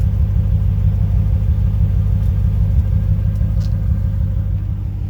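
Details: 1995 Chevrolet Corvette V8 idling: a low rumble with an occasional uneven stumble in the beat. Intermittent misfire.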